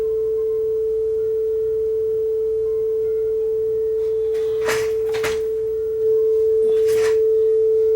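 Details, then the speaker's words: Yamaha K520 cassette deck playing a test tone: clean, steady tone with no wow or flutter. Tape speed has been adjusted to correct. "we're not going quite the right speed yet we'll fix that but gone is that ugly flutter or that ugly wow"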